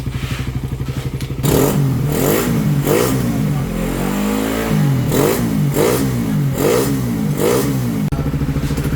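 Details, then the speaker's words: Motorcycle with a new 28mm carb (stock one was misfiring) and new spark plug cap, carb air-fuel tuned for a stable idle: repeated throttle blips rising cleanly and settling back to steady idle; crisp response, healthy. "Okay, carb tuning, adjustment ng hangin, air and fuel para mas maging stable yung menor tsaka mas maganda ang performance."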